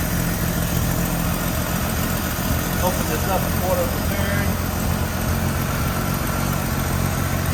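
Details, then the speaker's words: Carbureted AMC Eagle just after its mixture screws were adjusted out a half turn each: steady, even low idle with no misses or surging, a smooth purr throughout. "Man, that sounds good. Whoop. Man, that sounds good."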